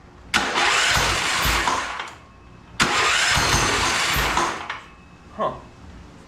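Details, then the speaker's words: Turbo 420cc go-kart engine after repair from a blow-up, cranked with a jump pack after fuel was leaned via the carb adjustment screw: two long starter-whirring bursts, almost firing but never catching; hard starting, something suspected off. "definitely almost there but it definitely sounds like something's a little off"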